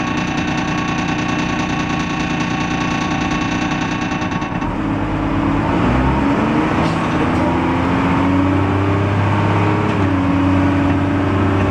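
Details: First Manchester Dennis Dart SLF bus 40395 (R269SBA), recorded 20 February 2012: diesel idle whose note shifts partway through, with wandering tones and an uneven beat instead of a settled rhythm; rough idle, cause unclear.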